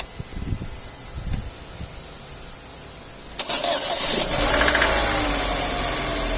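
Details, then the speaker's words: Chevrolet Astra 2009/2010 cold start, first start of the day when the owner hears an engine noise: cranks, catches into fast idle with a light rapid tick over hiss; cause not yet diagnosed, small coolant leak seen. "ó pessoal escutou o barulho da partida aí só vou olhar se está vazando não tá"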